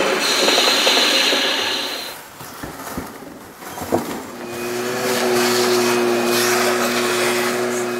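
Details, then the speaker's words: Wood lathe built like a metal lathe, boring an undercut about 1/8 in deep in a spindle adapter; steady cutting hiss with squeals and uneven scraping clunks as chips catch between boring bar and bore. "some of that noise you hear the chips getting caught between the boring bar and the"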